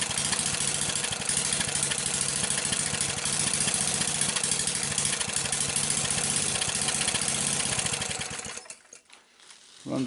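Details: Briggs & Stratton small single-cylinder engine with a newly soldered ignition wire, test run with spark plug wire removed: runs steady and even with no misses, then shuts down; firing cleanly, ignition test successful.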